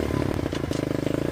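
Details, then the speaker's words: Revived abandoned mini bike, small single-cylinder engine started on first kick before a ride; quick even chugging beat, no misses or clatter; normal running. "So, let's see if she fires right up again. Oh, first kick. How about that?"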